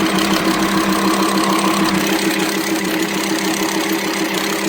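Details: VW Transporter T5 2.5 AXD/AXE diesel idling: steady, fairly even knock about three per second with top-end ticking; worn broken camshaft from lack of lubrication, causing rough idle, low power and metal dust in oil.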